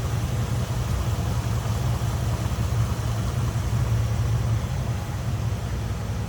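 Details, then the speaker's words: 1979 Jeep CJ7 4x4 idling after a cold start: low even burble, steady with no misses, knocks or ticks; sounds good, runs smooth, normal idle. "Sounds good, runs smooth."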